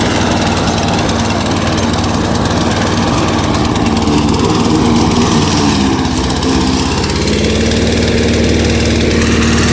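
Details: Free curbside push mower's small single-cylinder engine holds a strong, even drone while cutting grass, no surging or misses; engine idles lower with no load, healthy under load.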